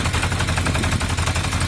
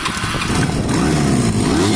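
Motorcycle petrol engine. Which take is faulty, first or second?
first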